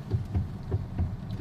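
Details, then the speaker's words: Mitsubishi Xpander with excessive steering wheel play and clunks over small bumps: deep, dull knocks about three a second as the steering is rocked; suspected loose steering rack, not confirmed. "Ang lakas oh. Yung sa iba sir h ganyan kalakas eh. Sao malakas yan. >> Parang nagtatama."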